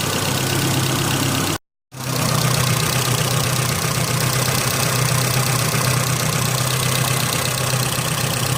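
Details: Car engine after a mass airflow sensor cleaning caused idle problems, now with degreaser sprayed into the intake: a steady, smooth hum with no stumbles or surging apart from one brief cut; idles cleanly.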